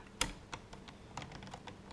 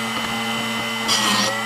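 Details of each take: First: Drill Doctor sharpening a 1/2 inch (13 mm) cobalt drill bit after the depth is adjusted in the jaws to stop a bad noise: a few taps, then a steady, even grinding whir with no strain; normal sharpening grind. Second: Drill Doctor sharpening a 1/2 in (13 mm) cobalt drill bit. Steady motor hum, then about half a second of grinding hiss past the set range, rounding the tip. Owner suspects the depth adjustment is set too far in.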